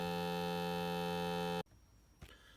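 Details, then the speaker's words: Toyota 4Runner dash: steady electric buzz cuts off abruptly when a module plug is disconnected; failing air module, to be replaced. "the sound [Music] sounds like a buzzing sound"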